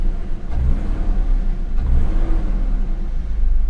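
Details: BMW E39 528 with a P0335 crank sensor code, hard start history, airbox off. Deep rumble that sags on each throttle blip instead of rising crisply; the engine bogs on rev, still doggy, cause unconfirmed.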